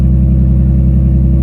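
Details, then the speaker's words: Nissan 370Z drift car after a custom tucked exhaust with custom Y-pipe and electronic QTP cutouts, cutouts closed on first test: very quiet, steady exhaust rumble with no puffing or ticking, the earlier exhaust leak gone. "right as you can see super quiet no more exhaust leak like you heard in the beginning of the video"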